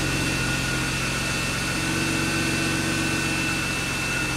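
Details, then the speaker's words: BMW E36 started after frame-rail repair, before the cooling and AC work. It catches and settles into a smooth, steady idle with an even hum, no knocks or squeals. Running healthy. "alright I'm back and I'm hyped bigger well we have success cars already running"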